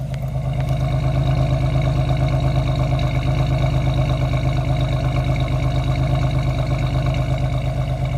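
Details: 1990 Chevrolet Lumina Euro 3.1 V6, 145,000 miles, idling after a cold start: steady, even idle with a deep, smooth factory exhaust pulse and no misses or knocks, running smooth at that moment.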